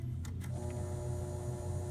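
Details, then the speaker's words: Kenmore humidifier fan motor after oiling its bronze bearings and shaft with light 3-in-1 oil: starts with a couple of light clicks, then a smooth, steady low hum with no scraping; turns easily, normal run, bearings possibly somewhat worn. "and I turn it on, it turns, you know, easily now."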